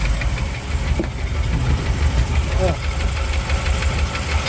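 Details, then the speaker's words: 1959 Chevy El Camino V8, after repairs, hot, with steaming from a holed exhaust and oil in the coolant: rough idle with a dull, irregular knock underneath. Cause of the knock is not identified. "We got a knock in the motor again."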